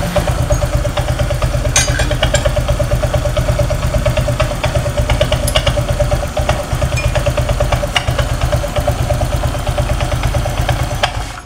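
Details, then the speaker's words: Honda Vario 125 scooter after earlier bad workshop work: steady piercing high squeal over a quick idle clatter. Loudest at first start when the crankshaft turns and again at shutoff. CVT squeal. "nah ketika mati pak ketika mati ini suaranya lebih keras awal pertama kali dinyalakan awal pertama kali muutar poros engkol Suaranya sangat nyaring dan ketika dia mati suaranya nyaring juga Pak"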